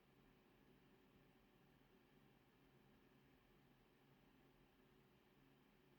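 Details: NVidia GTX 1660 Ti 6GB graphics card after fixing sagging that caused grinding (coil whine): running quietly, faint steady low hum and hiss, no grinding.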